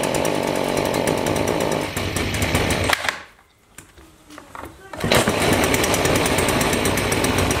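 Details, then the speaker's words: Stihl two-stroke weed trimmer: buzzy drone that sags and nearly dies before picking back up. Bogging. "I've got a problem with my still weed trimmer it's bogging down when I try and run it"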